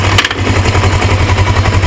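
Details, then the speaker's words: 1980s Suzuki GS450A automatic on its high stand, just put into gear: loose, uneven rattle over a low throb. Owner suspects a loose gear floating inside a failing transmission. "pretty in gear starts riding but if you lean it to the side it starts right back that's why I got it on the high stand so something in there there's a gear or something loose that's uh floating around"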